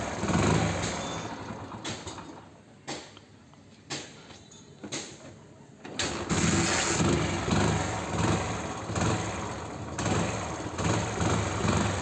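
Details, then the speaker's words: Hero Splendor Plus single-cylinder after head rebuild and O-ring replacement (had whistle and puffing air noise on throttle): starts cleanly, steady beat, sharp throttle blips with no knock or rattle; normal idle and revving. "हमने इसका head complete fitting कर दिया सारा कुछ complete कर दिया है अब बाइक को स्टार्ट करते हैं और झटके से रेस देते हैं"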